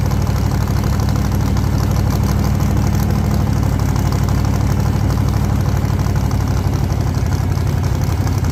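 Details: 1948 Chevy Fleetline small-block Chevy V8, 4-speed, open exhaust, test burnout under load after repair for pushrods breaking on first burnouts: deep steady roar at high revs, no ticking or clatter; sounds healthy, normal running under load.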